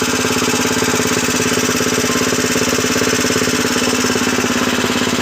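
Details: 7 HP power tiller engine after full rebuild, freshly oiled: steady, even thumping at about two beats a second with a bright metallic clatter on top; runs evenly.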